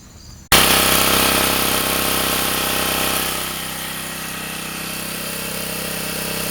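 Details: Sportsman 2000 W generator under 750–1500 W space heater load after adding a spring to dampen the governor: catches and holds a steady drone, no surging or hunting; cycling gone.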